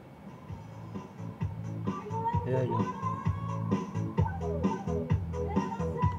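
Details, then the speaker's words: Home Vision amplifier previously giving distorted sound, tested after the tone control was reinstalled following replacement of the faulty tone and volume controls: music comes through full and clear with no crackle or break-up, so it is fixed. "ayan na sumasaya Okay na siya mga karesiklo. Okay na siya."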